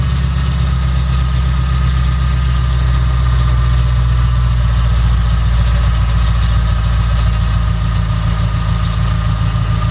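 Steady, even idle with a deep smooth rumble and no knocks, misses or whine; the supercharged engine settles in and runs cleanly.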